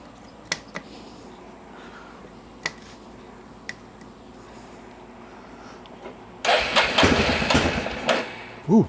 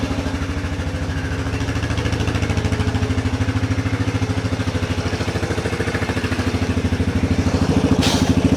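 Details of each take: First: 1994 Yamaha Big Bear 350 ATV, sat for years, fresh fuel and new air filter: few clicks then single fires around six seconds into loud rising run on choke; something seems to be over-fuelling. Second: 1994 Yamaha Big Bear 350 ATV, sat for years, just revived and not yet warmed: single-cylinder idle settles slowly after a rev; owner suspects throttle parts are sticking.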